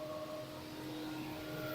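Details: 2015 Vauxhall Astra after replacing leaking coolant flange water outlet and bleeding system, before computer reset of P00B7 coolant flow code: steady whooshing whir at constant pitch then abrupt cutoff, radiator fan running continuously, suspected from system not yet reset.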